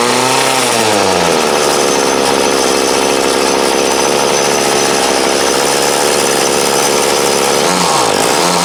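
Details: 2008 Troy Bilt TB20CS 31cc two-stroke trimmer, fuel lines, filter and primer replaced, warm after about 5 minutes idling, wanted half choke; high buzzing idle sags and stumbles on throttle changes, then recovers: carburetor flat spot needing adjustment.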